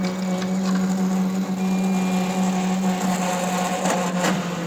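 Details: Roland VersaCAMM printer showing motor error 0080: a loud, steady motor hum with rattly chatter and sharp clacks near the end; carriage drive struggling, cause unknown.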